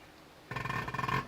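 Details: Spare Fordson Major diesel injector on a hand-pump tester, renovated by Precision Engineering: short sharp buzzing chirp under a second as the lever is pumped; injector opens and closes rapidly, atomising fuel cleanly, a good injector.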